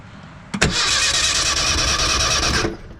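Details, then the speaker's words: Ford Sierra (Merkur) engine cranked by jumping the solenoid, key off, after it died on a short drive: starter spins fast and even with no compression beats; all cylinders read zero compression, suspected head damage or jumped timing. "all right it's building like no compression now so i'm just gonna go through all these and i'll let you guys know after i do that"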